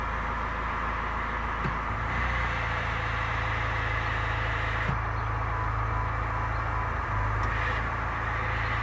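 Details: Chrysler Grand Voyager, 62TE automatic transmission, 51k miles: steady low whine over drivetrain drone, constant pitch; fixed by changing filter and fluid, filter likely clogged by excess sealant from earlier service.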